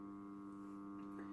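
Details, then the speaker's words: Magnetic contactor wired in a start-stop circuit with an indicator lamp, energized: steady electrical hum with buzzing overtones the whole time it is on, which should not happen; cause unknown. "почему то хотя так не должно быть но вот наверно слышно гудение"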